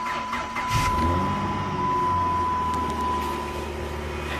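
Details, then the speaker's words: 2008 Dodge Charger 3.5L V6 after crank-no-start repair, serpentine belt and coolant refilled: starts within a second, smooth steady idle, even low rumble, no knocks or misses. Normal start and idle. "all right the o8 dodge charger is running smooth filled with coolant and it's been running for a while cool attempt normal she idles good and she sounds good"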